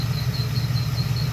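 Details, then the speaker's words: LT1 V8 engine with a brand-new mechanical fan clutch: a thin squeak pulses about six times a second over a low hum, in time with the freewheeling fan, and persists as the fan spins down after shutoff; the faulty fan clutch is confirmed, not the water pump. "so it's a fan and clutch problem brand spanking new and that's what it does"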